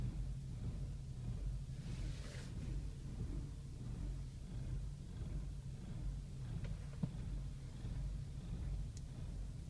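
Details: BMW E60 with an uneven, wavering idle thrum and no warning lights. Dealers cannot find the cause; the fault appears every 200–300 miles, on highway or in parking, and clears after the engine is off a few minutes.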